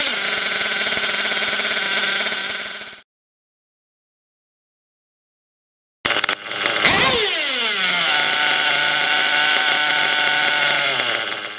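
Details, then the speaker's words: OFNA Hyper 7 nitro buggy, O.S. .25XZ glow engine badly needing retune: screams at very high revs that hang on, rising and dropping before slowly winding down to idle while being tuned; RPM hang instead of dropping immediately to idle. "And what you want to listen for is the ballistic RPMs and how they run on at the beginning, and then how I begin to tune it, how it then drops down to its idle."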